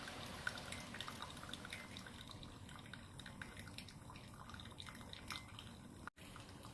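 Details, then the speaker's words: Keurig coffee brewer that had been clogging, brewing slowly and leaking, after being cleared by blowing through it with a straw: quick irregular dripping into the cup, about two drops a second, no sputter; brewing normally again. "thanks, Barry. I think it's actually working now."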